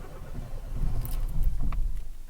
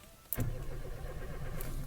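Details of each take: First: Renault Clio Alize 1.4 with Siemens 32 ECU, crank-no-start, after temporary fix: brief low rumble as engine cranks and catches, then settles into a soft idle; starts normally. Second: Renault Clio Alize 1.4 with Siemens 32 ECU, in neutral, clutch in, dash lights on; starter cranks steadily with an even churning rhythm but the engine never fires: crank-no-start.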